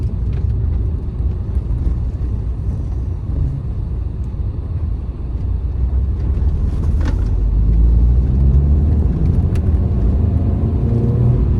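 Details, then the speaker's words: Cheap trade-in Mini Cooper on road test drive: smooth engine pulling under road and tyre rumble, rising gently with speed, no knocks or misses; gears, clutch and brakes working, engine sounds healthy. "Gears will work well, engine sounds good, clutch seems to work, brakes seem to work."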